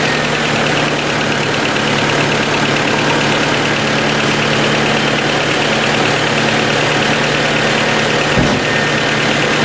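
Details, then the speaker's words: 1990 Honda CRX DX idling after ignition coil replacement, aftermarket distributor: steady idle with a light fast ticking over the engine note; owner suspects valves need adjusting. "yep sounds good and it's not uh sounds like the valves probably need to be adjusted"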